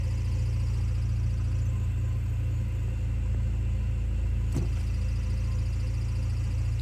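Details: Idle with a faint, constant squeaky whine from the clutch area that goes away when the clutch pedal is pressed even partway; owner suspects the throwout bearing, not confirmed. No rattles. Clutch squeak at idle.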